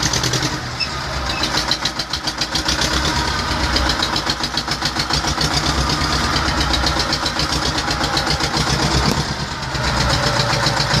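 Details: T-25 tractor diesel engine after repair: catches and settles into a steady, evenly paced idle chug of about 220 beats a minute, no knocks or misses; idling normally.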